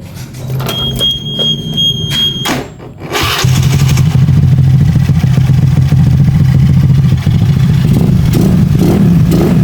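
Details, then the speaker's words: Bored-up 120cc Honda Beat scooter single, before installing new coil: catches, smooth even idle, clean throttle blips dropping back without stumbling; normal idle and revving. "e idle juga bagus ya untuk idle-nya untuk gasnya juga sebenarnya sudah Mantap"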